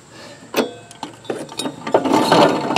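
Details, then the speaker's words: John Deere LA135 42" mower deck that whined loudly with the blades engaged, spindle turned by hand: rough, uneven clicking and gritty grinding from a failed spindle bearing. The spindle needs replacing. "yeah he's uh he's in bad shape definitely got to replace the spindle while we're here"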